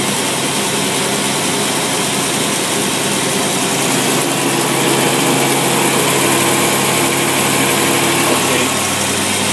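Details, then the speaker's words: Engine with dual 400 CFM Carter AFB carbs in a 2x4 setup, electric choke, mixture set 12:1: even V8 idle picks up cleanly on a light throttle blip and settles smoothly, power valve working, healthy. "we're going to fire it up and show you that it works rev it up see how sweet run you notice the power valve jumping up down they work"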